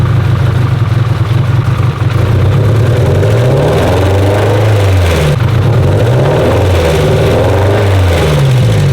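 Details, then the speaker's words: Mitsubishi Evo 10 with new engine, idling: uneven wavering drone with faint light tapping; knock unchanged when each coil is unplugged, so owner suspects a cylinder head/valvetrain cause, maybe the cam gear; oil filter suggests bottom end fine. "The more I listen to it, the more it sounds cylinder head related, valve train related. Maybe it is that cam gear."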